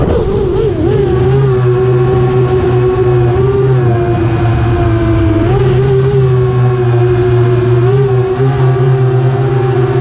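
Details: FR7 FPV quad after tuning with D-min removed, Iterm relax cutoff 10, RPM filter on: smooth clean motor whine rising and dipping with throttle, no raspy carbon-like edge that D-min had caused; motors healthy.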